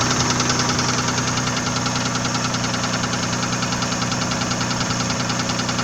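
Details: Nissan VG30E V6 at steady idle: a sharp, even knock about two and a half times a second; the owner doesn't know what is knocking.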